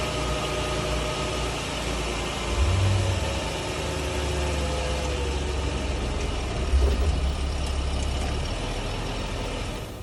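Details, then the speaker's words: 2011 Jeep Grand Cherokee test drive after driveline replacement for a clunk: steady low engine and road rumble with no clunk or vibration; the noise is gone. "okay so we pretty much did exactly what we did earlier we don't be kidded knowing now we did it again after the repairs and the noise is gone [Music] there's no vibration everywhere"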